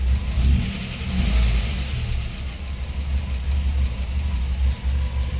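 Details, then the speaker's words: Audi 80 B2 petrol engine idling cold just after spark plug check: low, fairly steady beat, slight unevenness, no misfire. Plugs look correct; owner wonders about a suppressor cap and says tuning isn't perfect. Normal cold idle while warming. "Et puis dans tous les cas, on entend que le moteur tourne bien quand même. Il est assez régulier, ça va, malgré que le réglage soit pas forcément au top."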